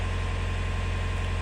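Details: Canal widebeam narrowboat diesel idling and charging the bow thruster battery, after fixing a no-start caused by the starter relay fuse, not the battery as assumed: steady even low thrum, no knocks or misses; healthy.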